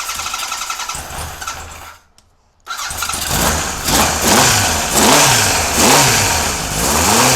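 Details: Kawasaki KZ police motorcycle on stand, charging fault suspected at voltage regulator: starter churns briefly, engine catches at once and settles into steady, even run with throttle blips; clean start without choke, ignition fine.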